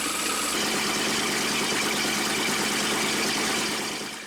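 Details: 1960s jet boat engine run on garden-hose cooling water after replacing the oil pressure sensor: even, steady pace over the exhaust rumble with no squeal, the belt that was squeaking now quiet; oil pressure possibly too high.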